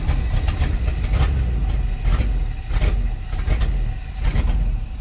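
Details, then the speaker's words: 1969 Ford F-250 with a tired 360 V8 and 2-barrel Holley, after exhaust work. Idle sounds better but still lopes unevenly, running super rich with black smoke. Owner suspects timing is off or a leaking power valve. "sounds a lot better. Still not idling just quite right."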